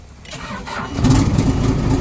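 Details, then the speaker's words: Motor grader diesel, in neutral, after installing a universal Kubota ignition switch to replace a lost key: short crank, catches within a second and settles into a steady, even idle; normal start. "crank right up we are good to go"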